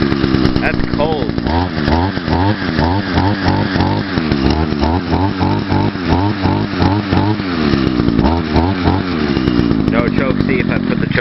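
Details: Echo SRM-2100 string trimmer, first cold start of the year, started with choke after priming; it was bought with a bad primer bulb and carburetor issues, carb since adjusted. Crisp two-stroke buzz revving cleanly with no bogging; runs healthy.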